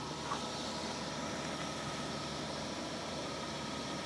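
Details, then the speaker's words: BMW idling just after a fuel filter change and priming the fuel pump: steady, even idle with only normal light injector ticking. The earlier knocking noise, like mild rod knock, is no longer present. "That ticking, that's fine, that's just the injectors. It's more of a knocking noise I was getting."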